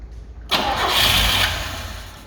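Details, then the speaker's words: Carbureted Lada 2104 with fuel fed from a funnel on the carburetor line and the choke pulled: it cranks, briefly roars as if about to catch, then fades without settling into an idle. Owner suspects a bad fuel pump, though it is unconfirmed. "maybe there's not enough fuel so she wants to start I really think it's a bad fuel pump but we don't know for sure"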